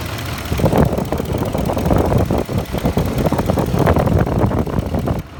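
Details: Ford F150 engine idling: a light, steady knock tapping along with the engine's rhythm; owner suspects the VCT phaser or the timing chain tensioners, not confirmed.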